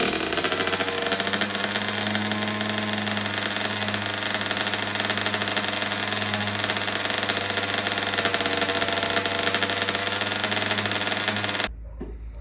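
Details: 2009 Kawasaki KX85 two-stroke, first start after carb work, before correcting the fuel mix to the manual's 32:1 (ratio suspected off), small leak present: raspy, uneven running with revs wandering up and down before cutting out.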